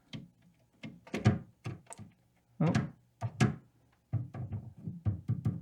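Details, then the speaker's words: 1970s Fender Bassman 50 tube amp, poke test inside the chassis: uneven thumps and crackles through the speaker each time a lead or wire is touched, pointing to a noisy connection; cause unconfirmed, leaky caps also being checked. "Okay, Tiny bit of noise from that one as well. This wire is also a bit noisy."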